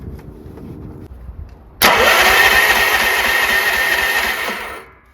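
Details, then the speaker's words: Troy-Bilt 30-inch rear-engine riding mower that starts but runs badly and needs a tune-up; the solenoid is jumped after fixing a poorly connected fuse. A sharp click, then the starter whirs and spins the engine evenly for about three seconds; the starter works fine. "Starter sounds like it works just fine."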